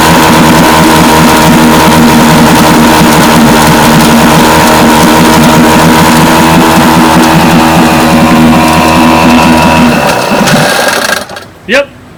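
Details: Vintage Johnson outboard that misfired at high speed, after the pitted brand-new points were replaced. A steady, even two-stroke buzz with no skips for ten seconds before shutdown; both cylinders are firing cleanly.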